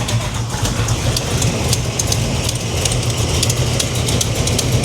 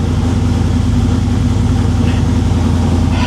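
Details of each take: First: 1987 Chevy Monte Carlo SS V8 idling: sharp, crisp ticks over steady rumble; owner suspects exhaust header leak where one header/manifold bolt couldn't be installed, bolt needs shortening. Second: 1987 Chevy Monte Carlo SS V8, cold, choke being opened after new transmission install: fast, even cold choke idle, no misses, knocks or ticks; normal cold high idle, engine staying running.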